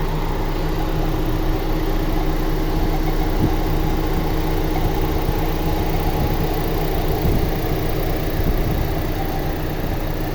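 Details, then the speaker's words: 2001 Honda Civic Dimension fuel-injected petrol, automatic, idling, heard up close under the bonnet with the dipstick pulled: steady even low hum, no misses, knocks, smoke or stumble; smooth healthy idle. "เครื่องไม่พ่นไม่ไอและก็ไม่ควันนะครับไม่มีสะดุดนะครับเดินเรียบมากๆเลยนะครับ"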